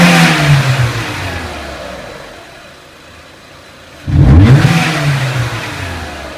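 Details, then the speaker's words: 2003 Renault Clio 1.6 petrol, intermittent stalling traced to a loose crank sensor connector (sensor good): engine climbs smoothly to high rev, drops to idle, revs cleanly again without stumbles or knocks; normal revving. "Now as we increase the engine RPM, I'll just show you the voltage as well. It should go up to about 10 volts."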